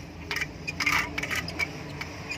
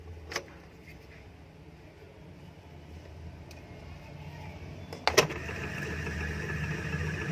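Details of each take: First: Indo 230 V 50 Hz ceiling fan running with irregular metallic clicks and light rattling over a faint hum, caused by a jammed lower bearing in a loose seat; fixed without replacing the bearing. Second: Indo 230 V 50 Hz ceiling fan after the noise fix without changing bearings, wires reconnected: a switch click, then a steady even hum with no grinding or ticking; runs normally.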